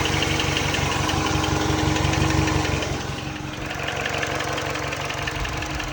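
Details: R56 Mini Cooper base, original N12 at 160k miles, fully warmed idle: regular light knock about four per second over the engine hum; owner attributes it to piston slap, louder on cold start, drivability unaffected.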